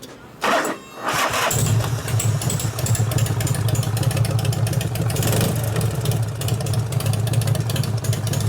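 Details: 1988 Harley FXR after alternator, clutch, primary repair and cam change: after a short crank the engine catches and settles into a steady, even, deep lope with no knocks; clutch no longer slips.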